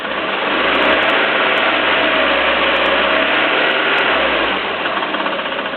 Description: Bruit bizarre sur 307 1.6 16v essence (claquement)